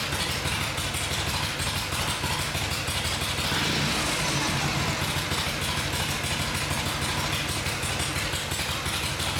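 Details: Vintage Harley Shovelhead V-twin on the stand after full engine and transmission rebuild: steady loping idle with even beat, no knocking or misses; sounds good, normal healthy idle.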